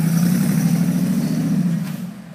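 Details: Mercedes G55 after a Kleemann install: low, uneven idle with a slight lope and unsteady beat, no knock; rough idle suspected from vacuum line issues.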